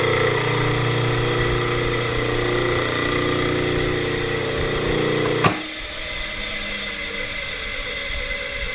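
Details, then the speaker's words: Electric motor from a hydraulic press, run with no load: rough, gravelly whirr over the hum, still rumbling as it coasts after power off; front and rear bearings worn, balls loose, needs new bearings. "None of that sound should be happening right now. With the power off, that's the bearings making that kind of noise."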